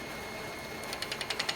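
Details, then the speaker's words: Wood lathe turning a mallet blank: gouge applied low, so the bevel rubs without cutting. Steady lathe hum with an even rubbing tick about eleven times a second and no shaving taken. "you can hear our bevel rubbing but you can see that it's not cutting"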